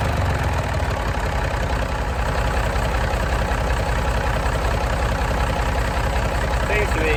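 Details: Massey Ferguson 135 diesel tractor started to check dynamo voltage with a multimeter before working on the regulator box: steady, even idle chug with a regular firing beat and no knocks, scrapes or squeals; sounds healthy, not getting hot.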